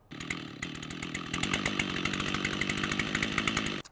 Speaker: This incredible Stihl 088 chainsaw has a fluctuation in engine RPM at idle. It's a classic sign of an air leak.